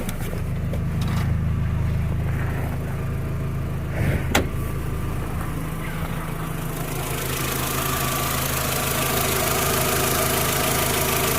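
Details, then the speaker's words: VW Jetta A4 2.0 that had misfires on cylinders 1 and 3, rough idle and bucking, after replacing spark plugs and wires: steady low idle with an even beat, no stumbles or skips; normal idle after repair. "pero ya no se siente tembloroso el carro del instante que de repente se sentía como que así como que brincaba el motor"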